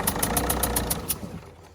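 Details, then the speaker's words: Low-mileage Citroen C4 automatic diesel, off road almost four years, after a couple of minutes warming up at idle: regular chuffing puffs with some smoke, number four injector wet, its copper washer seal blowing by. "so we have got a chaffing injector and if you look down in there at number four you can see it's quite wet"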